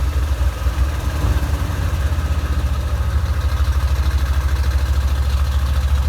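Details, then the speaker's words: 1987 Corvette after a fire, flooded engine blown out with air and plugs refitted: deep, uneven lumpy idle that dies off throttle and reflooded, fuel getting into the oil; rough, rich running. "so we did finally get this thing to run and hear what it sounds like but as soon as i let off the throttle it did die and it flooded itself again"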